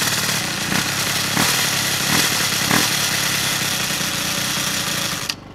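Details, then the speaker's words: Piaggio Zip SP race scooter: Stage6 70cc cylinder, Polini Evo variator, PVL ignition; first start after 15 years' storage, on 2.5% mix. Harsh, rattly high-pitched scraping over the two-stroke buzz until shutdown; owner suspects a loose variator or the kick gear scraping it. "Ce que je vais faire, c'est qu'il y a un bruit métallique, je vais regarder ce que ça peut être. Bon alors ce bruit métallique, il a l'air de venir de derrière le carter de kick. Peut être que j'ai pas serré mon vario ?"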